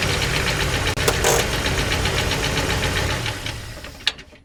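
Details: Jeep 4.0L inline-six running: rapid fairly even knocking about four per second, a sharp rattle riding over the engine note; engine knocking, cause not stated.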